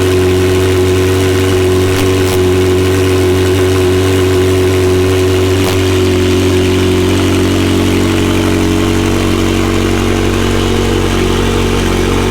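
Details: McLaren 720S engine after repair of Time Attack oil-overheating failure, idling after cold start: steady even idle, smooth low drone, no knocks or ticks; stable oil pressure at idle; normal idle.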